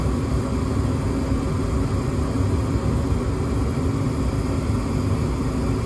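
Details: Gas furnace on a 16°F no-heat call, W jumped back with a limit switch fault found, limit temporarily bypassed for testing: continuous low even rumble of burner and blower, no cutting out or surging; running steadily.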